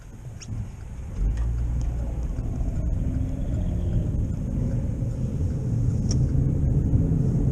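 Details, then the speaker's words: Car driving and speeding up to about 55 mph on wet roads: a deep droning rumble swells as speed rises, above the road noise. It is louder in right turns, which load the left wheel. Owner concluded a bad left wheel bearing, not yet fixed; it was first mistaken for an engine issue. "and as I start moving faster you can tell the noise gets louder about 55 and it's just getting louder and louder"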